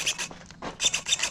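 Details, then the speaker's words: Savox black servos, about a year old, in a modded .32 RC kit: short sharp whirring bursts with each steering move, quiet between moves, no humming, buzzing or glitching; normal servo operation. "nothing no humming no glitching"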